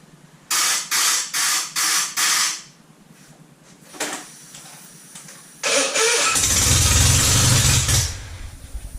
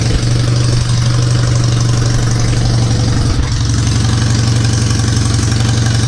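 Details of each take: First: Citroën 2CV twin-cylinder engine, ignition confirmed good, carburettor stood empty 20 years: five even cranking bursts, then a brief catch and sputter that dies; fires but starves for fuel, blocked carburettor slow-running jet. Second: Citroën 2CV twin after static timing set and coil polarity corrected, carburettor stood empty 20 years: low, even thrum with steady firing and no misses or bangs, running cleanly at idle. Normal running.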